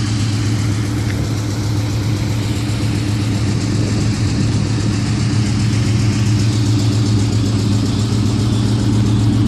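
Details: Ford Mustang engine idling after work: faint, light ticking over the low hum, clicking from the engine with unknown cause.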